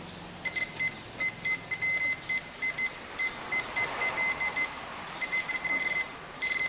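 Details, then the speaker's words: Pioneer FH-P5000MP head unit, multimeter continuity test between RCA ground after repair: sharp high beeps in bursts then steady; ground continuity restored, fixing hum with external amplifier. "Oke, masuk ke continuity. Ada sekarang udah bunyi lagi nih."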